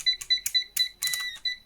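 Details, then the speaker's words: PeakTech P 1670 TrueRMS clamp meter beeper sounds uneven, buzzy and crackly near 2 kHz because its low, near-expiry old-batch battery is weak; battery to be replaced. "The beeps are a bit not how they should sound."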